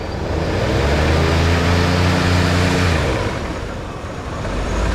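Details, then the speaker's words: 1987 Ford Bronco V8 from a junkyard, running on fresh fuel: smooth, even idle with a brief rev, not rattling or misfiring; slight valve tick at startup went away, possible exhaust leaks, air pump audible. "Run's good yeah little fresh F in there probably would have fired up with the old stuff but would have been pinging on on revving it"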